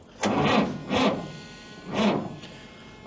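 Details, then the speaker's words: Diesel at about 40°F after a long spell in the upper 20s, glow plugs run, ammeter drawing down, battery terminals disturbed: sluggish, uneven cranking in heavy bursts about a second apart that never catch; weak battery suspected, jump pack needed. "no she just needs a little bit of help we'll grab the jump pack I think we'll get it"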